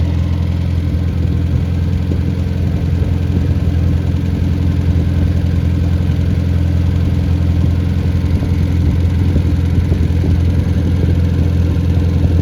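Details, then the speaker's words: Freshly rebuilt MG Midget/Triumph Spitfire 1500 engine FP42270UE, 270 cam, flat-top pistons, about 9.5:1 compression, 175–185 psi, ground valves, new springs, guides, rocker shaft: deep steady drone, no knocks or rattles, even speed; healthy. "so it's just like a light new engine and uh it runs like it and so I'm going to fire it up here in a minute"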